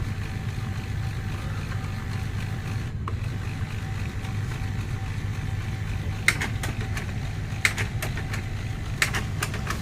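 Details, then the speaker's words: HP LaserJet P1102 during a self test: low motor hum, then sharp irregular ticks as it tries and fails to pick up paper. The pickup roller is damaged and needs replacing. "It's like tick tick. It's trying to pick up paper but it's not picking properly. That means this pickup roller is damaged."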